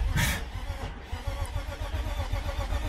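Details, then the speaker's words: BMW E36 sedan with no-start issues, cranked just after a fuel pump swap with the hoses not yet tightened: a sharp click, then slow, uneven cranking thumps with repeated odd clicking from the starter; the starter is misbehaving, cause unknown. "don't know why that starter keeps doing that too. Starter sounds weird too. It keeps clicking like that."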